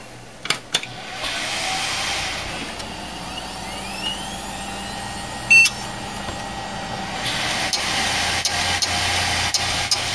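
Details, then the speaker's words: 2006 Western Digital WD5000KS 500GB SATA 3.5in drive, removed from its external enclosure, on a Socket 939 PC: whirring spin-up with faint rising whine over hiss, then cycles off; drive failed, possibly dropped, clicks of death. "okay so it's given up this hard drive is actually bad um either the external hard drive maybe it's gotten dropped at some point um or the hard drive has just failed you could hear the clicks of death"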